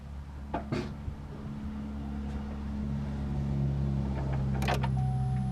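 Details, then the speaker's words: 2009 Chevy Silverado idling after a faulty pulley was found with a hose listening tool and the pulley refitted: low, even hum with no whine; normal idle, power-steering-like whine gone. "still well people I don't hear no power steering wine no more"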